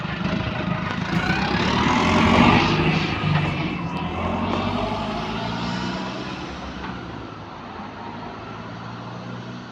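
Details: AL HV41 diesel bus on route 335: deep drone pulls up then settles to idle with a rough chuffing edge on each engine beat, an exhaust leak.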